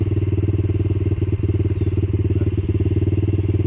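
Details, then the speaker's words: Yamaha Blaster two-stroke quad with a supposedly rebuilt engine blew up on its first ride, possibly from an off fuel mixture. It restarts but idles lumpy and uneven with stumbles and dips, unhealthy and likely damaged. "Well, will it start? It starts, but that ain't healthy."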